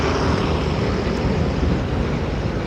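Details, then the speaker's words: Yamaha Mio scooter after engine overhaul, ridden at about 30 km/h: steady, even, smooth engine drone with no knocks, rattles or misses, sounds like a new bike; normal running. "Kedengarannya seperti sepeda baru, kan? Ya, tentu saja. Sangat halus. Tidak ada suara aneh sama sekali."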